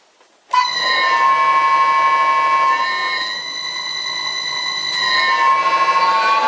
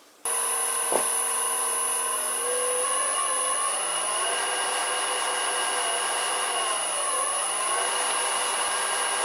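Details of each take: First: Wood lathe, described as a really noisy machine: loud steady high whine with several stacked harmonic tones holding nearly level while running; noisy motor drive. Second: Vintage Karger lathe motor on new Chinese AT1-0750X VFD, maxing out at 65 Hz: steady whine climbs slightly then holds flat at top speed; sounds normal.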